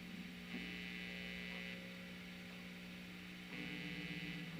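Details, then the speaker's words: Telecaster with noiseless pickups after grounding the bridge to the volume pot to cut pickup hiss and whistle: steady low mains buzz with faint higher whine persists, only slightly quieter; hum remains, cause suspected, not confirmed. "to me it sounds just a little bit quieter not much I don't know if you can hear that slight difference"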